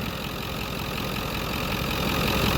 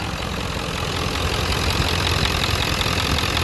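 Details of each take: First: Ford Powerstroke diesel in a donor truck, idling, with a 3-inch downpipe; owner suspects both up-pipe seals are blown and leaking exhaust. Even diesel clatter with no misses or heavy knocks; the engine sounds tight and healthy. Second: Diesel donor truck with three-inch downpipe, idling: rough uneven chatter and hiss over the clatter, soot near the turbo; owner suspects both up-pipe seals blown, causing the exhaust leak.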